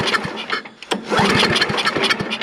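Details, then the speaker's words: Snapper I 422 snowblower with a dirty carburetor suspected from bad gas, pull start on primer and choke: the engine fires, sputters irregularly for a couple of seconds, then fades out; it starts but won't hold an idle. "oh she wanted to come on nope nope doesn't really want to idle"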